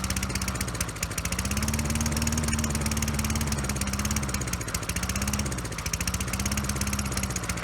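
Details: Toro Recycler 20016 mower before carburetor cleaning, smoky with oil in the exhaust: single-cylinder engine hunts up and down instead of holding speed. It runs lean and only with the intake covered, from a clogged carburetor.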